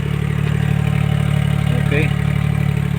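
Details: Suzuki multicab minivan idling after a Power Up combustion add-on was installed: steady, even idle with a low beat of about three pulses a second, no knocks or misfires.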